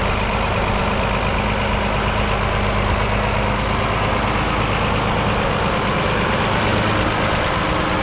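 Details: Mercedes OM366A turbo diesel (170 hp) at constant speed after its fuel pump was rebuilt with new plunger pairs; the worn, unbalanced pump used to clatter slightly, but now it runs evenly. Even, steady clatter without extra knock; normal running.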